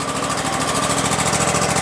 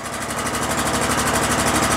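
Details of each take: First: About 2016 Exmark Lazer E-Series 60-inch mower with a 27 hp Kohler engine, roughly 3,800 hours and a flooding carburetor, started on choke at half throttle: even, steady idle; brief smoke clears; a knock is heard when throttle is added afterward. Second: Exmark Lazer Z 60-inch mower, 27hp Kohler engine, after carburetor removed for flooding, choke on, half throttle then revved: rapid hard metallic knock rising with revs, suspected internal engine damage.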